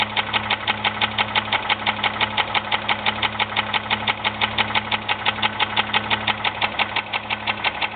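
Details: 2001 Jeep Grand Cherokee 4.0 petrol idling, oil changed regularly, noise started suddenly: sharp steady knock about three beats a second over an even idle; owner unsure if piston slap or rod knock, before pulling the oil pan.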